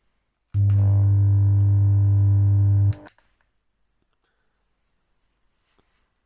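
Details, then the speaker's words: Kustom KXB100 bass combo amp: loud steady mains-frequency hum, no signal passes and controls change nothing; hum cuts off abruptly. One half of the low-frequency power amplifier chip burnt out, sending one-polarity current to the speaker. "вот то есть компик гудит с частотой как у розетки никакие сигналы не проходят роблок не тоже ничего не меняет ничего роблок не работает есть только гул"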